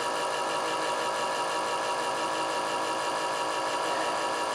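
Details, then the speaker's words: Truck FASS lift pump in extremely cold weather: steady electric hum at constant pitch, slowly getting louder, never heard catching prime; builds then loses fuel pressure once truck starts; lift pump not building fuel pressure. "as soon as it will build fuel pressure it'll hold fuel pressure as soon as i start my truck i will lose fuel pressure"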